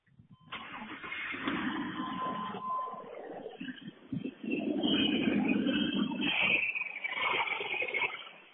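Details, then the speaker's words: 1999 GMC Yukon 5.7L V8 at 485,000 km, cold start after sitting three weeks, with a rod knock present since 333,000 km: short crank, then smooth running with no knock after an oil additive treatment. "the rod knock is gone I am so amazed I thought this thing was just sitting to wait to die"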